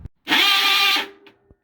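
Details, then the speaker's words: Maytag top-load washer making a harsh, raspy, loud grinding burst during the wash/agitate cycle, from a worn, shredded clutch (splutch); fixed by replacing the clutch. "I got this Maytag washer that's making this awful grinding noise so if you got a Maytag a Whirlpool or Kenmore washer and it's making a really loud grinding noise I'm going to show you how to repair that in this video"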